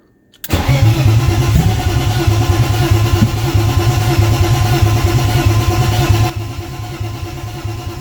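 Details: BMW E36 2.8L with ZF 5-speed, just refitted: steady starter churning about three beats a second, never fires; fuel tank emptied, fuel feed and return lines found swapped.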